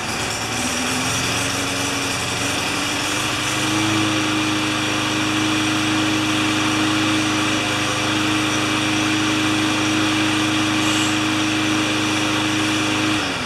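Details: Craftsman 20-inch side-discharge mower on a final test run after repair and wipe-down, before returning it to its owner: small single-cylinder engine runs at a steady, even high pitch with no surging, misfire or rattle; normal healthy running.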